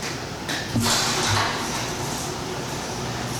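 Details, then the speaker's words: Impact-rated insulated garage door, 3–4 years old, after lubricating the joints, wheels, rails and shafts with Blaster lubricant to cure a squeal. A smooth, even rolling hiss with no squeal or screech: quiet operation. "God that's perfect so much better than before so quiet and with the house door closed you hear nothing that's the best part you don't hear it inside at all"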